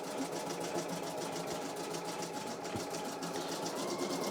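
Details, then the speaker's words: Serviced embroidery machine being tested for a customer. Fast, even stitching patter at a steady pace with no knocks, catches or grinding. Normal embroidery stitching. "it's an embro I'm doing some embroidery so I serviced them you see and I'm testing it for a customer yeah"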